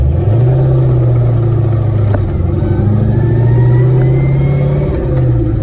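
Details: T56 manual gearbox under drive: a thin whine rising in pitch with road speed over the engine drone; probably a worn counter shaft or related parts.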